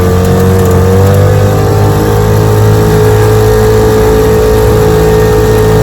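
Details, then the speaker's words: Restored 1947 Johnson HD-25 2.5 hp outboard, lake test after replacing broken carb intake manifold, worked on since Christmas: smooth steady two-stroke buzz under load, no misses; running good now. "Had a lot of trouble with this motor. Been working on it since Christmas. It's running good now."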